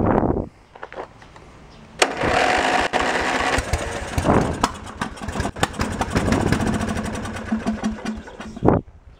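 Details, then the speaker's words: Junk lawn tractor's engine, which has a full tank, primed and cranked on choke: starter churns unevenly for several seconds with no firing; fuel starvation. "yeah so it's not getting any fuel or the fuel or the carb is crappy let's go for one more time"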